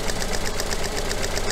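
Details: Coil-on-plug engine idling with a fault put on one coil, simulating secondary winding or spark plug failure: steady stumbling beat, one firing missing every cycle, lumpy shake; dead cylinder from lost spark.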